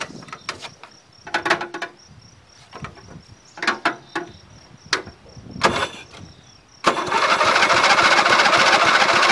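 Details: Dynamark mower unused since last fall, fresh gas and untested battery: several short cranking bursts with pauses, then the engine catches and holds a steady run; hard start after storage.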